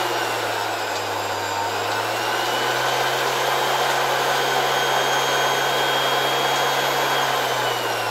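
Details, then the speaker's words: 1970 Zelmer 01 vacuum cleaner with East German Suhl type 1004.2/5 motor, run at much reduced voltage through a regulator after reassembly: an even low hum with a faint rough whirr; the old original bearings, though greased, are worn and still audible. "Well, you can hear these bearings despite being greased, maybe a little less than at the beginning , but it was still nice to leave these antique bearings."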